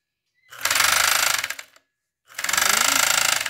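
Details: Second-hand, quite old Chinese FN2-7D mini overlock sewing machine, worn foot replaced with a homemade Havaianas flip-flop piece for damping: two bursts of fast hard clattering knocks, about four a second, while sewing; loud knocking noise, cause unknown, owner wonders about tensioner adjustment.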